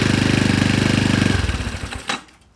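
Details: Honda Ruckus with newly installed GY6 171cc upgraded engine, first start with assembly lube still burning off, throttle cable not yet wired; catches with fast even thumping then winds down: normal engine start.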